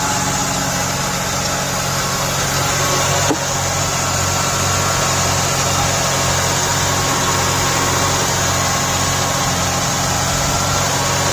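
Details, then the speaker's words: 1989 Buick Reatta just after fitting a new idle control valve, with a stuck idle control valve suspected; a steady, even drone holds well above normal idle with no dip or settle, so the idle is still stuck high. "That sounds like it's revving, still revving high."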